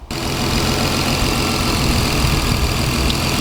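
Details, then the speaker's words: Lexus IS300 turbo 2JZ on EMU Black ECU, just after fitting bigger injectors with fuel pressure lowered from about 60 to about 44: steady low rumble, even idle beat, no misses or knocks, no leaks; normal idle. "So there aren't any leaks, so that's a good sign so far, and it's idling pretty good right now."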